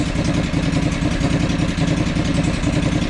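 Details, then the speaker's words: John Deere 445 twin, only slightly better: both coils show spark, yet it still chugs unevenly with an irregular, stumbling beat at idle. Misfire and rough running from some other unknown problem. "so that that coil is good that coil is good so huh and it still runs like crap so what does that tell us"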